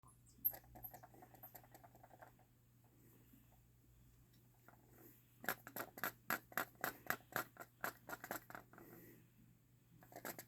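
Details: Canon EF 100-400mm f/4.5-5.6L IS II zoom lens tilted by hand, giving loose, light clicking inside: a rattle of unknown cause, though the lens still focuses and takes pictures fine.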